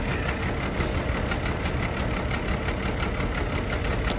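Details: Chevy Trailblazer at idle with an irregular, lopsided beat and missing pulses. Misfire on cylinders 3 and 5; unplugging coils brings no change. Cause is unsure: spark plugs, coil pack or a bad ignition coil.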